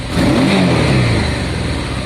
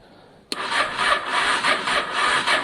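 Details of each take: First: Honda Deauville first start after a carb clean, fuel pump primed, choke and ignition on, weak battery: catches cleanly, revs crisply, then runs smooth and steady; a healthy start. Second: Honda Deauville motorcycle after carburetor clean, choke on, fuel pump not heard priming, battery issues: sluggish, labored cranking about two strokes a second that never fires; turns over too slowly to start, cause not confirmed.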